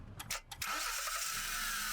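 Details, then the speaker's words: Car with a totally dead battery jump-started with a portable JS1200 jump starter, clamps connected: brief cranking bursts, then engine catches and settles into a steady hissy idle; clean start on a single crank. "Total டெட்டான பேட்டரியை வந்து ஒரு single கிராங்கில் start பண்ண முடியுதுன்னா இந்த device வந்து எவ்வளோ கேப்பபிள்னு பார்த்துக்கோங்க."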